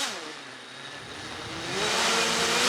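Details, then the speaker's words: Rekon 3 drone on the bench at low throttle: a high, thin whine as one motor spins up to about 50% on its own and surges. Its ESC can be heard rebooting, a faulty ESC. "you see it spins up 50 percent oh you see and it freaks out just freaks out i don't know come on stop it yeah and you can hear the esc rebooting this one the motor one and it just doesn't work"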